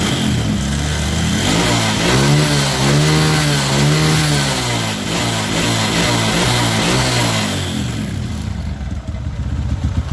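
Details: Kawasaki ZX with carburetor that had high idle, wouldn't idle down and hesitated, after carb renovation and setting: crisp blips rise and fall cleanly, then settle to a steady, even idle without hanging high; carb set right.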